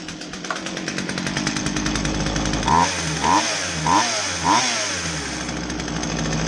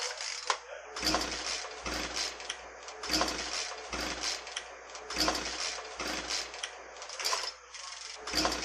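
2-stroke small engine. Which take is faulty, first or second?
second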